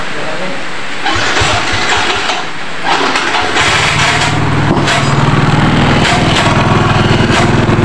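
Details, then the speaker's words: Yamaha Soul GT scooter running: irregular sharp clicks and scraping from the CVT side. The kickstarter had broken and was welded at the CVT, and the noise began after that; the kickstarter pinion is scraping against the crankshaft gear. "kira-kira seperti itu ya untuk suara di motor miosul GT ini berisik di bagian cpt-nya"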